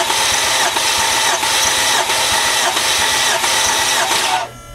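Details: 2010 Volvo C70 that won't start after sitting for days: at key position II, after the ignition fails, a loud rushing whirr under the left side of the engine pulses about three times a second for four seconds, then stops; cause unknown.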